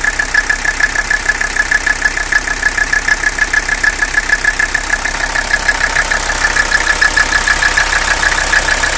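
Diesel idling with a steady, slightly uneven beat of about three per second and a high whistle over it; rough idle, cause unknown.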